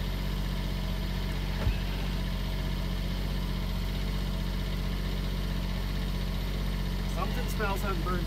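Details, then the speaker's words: 2007 Dodge Grand Caravan with rough idle: uneven, lumpy beat that keeps dropping a pulse, a misfire from the number two spark plug wire's damaged boot arcing to the engine block; fix is replacing the plug wires. "oh it's a plug wire look at that see that hogwired arcing the boots damaged we gotta replace the smoke"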